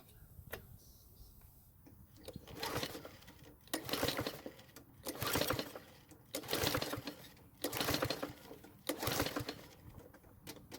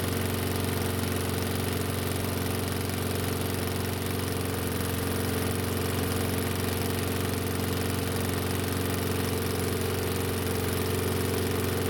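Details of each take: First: Curbside Toro mower, 95 psi compression, fuel poured into the cylinder: repeated cranking bursts about every 1.5 seconds that never fire; owner suspects flooding, will check for a sheared flywheel key. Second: Toro mower, warm (block about 110°F, carb 95°F), no air filter on carb, choke partly closed, restart after few pulls: steady even single-cylinder putter with no misses or knocks, clean shutdown; runs fine choked or fully open.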